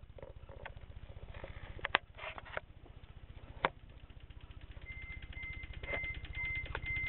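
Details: Corolla All-Trac 4A-FE 5-speed manual, diagnostic connector T–E1 jumpered, key on: fast continuous clicking about two per second, no crank; fuel pump won't prime, dash lights erratic; owner thinks clicking comes from starter, unconfirmed.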